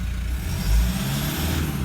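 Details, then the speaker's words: 2012 150 Prado 1KD-FTV diesel, about 150,000 km, stone cold after injector replacement, no pilot learn yet: quiet, even low idle with none of the earlier cold rattle or knock. "Straight away, I think it sounds very quiet. Now it is stone cold. There's no rattly, knocky noise there like there was when it was cold before, right?"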